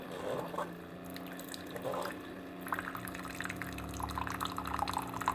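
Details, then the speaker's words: Keurig coffee maker, reported as not shutting off water, brewing: steady pump hum with water flowing into the cup at good speed, so the nozzle is not clogged. Normal pump operation. "a pump running it's coming out albeit I guess that's coming out of a pretty good speed so the nozzles not clogged"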